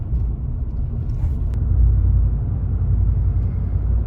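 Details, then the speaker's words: 2019 Chevrolet Silverado 5.3 L V8 with active fuel management, Range AFM disabler plugged in but appearing unpowered: deep lumpy low drone off throttle; engine still dropping into four-cylinder mode, deactivation not disabled. "see what happened this year when I let off yeah it's dropping still understand"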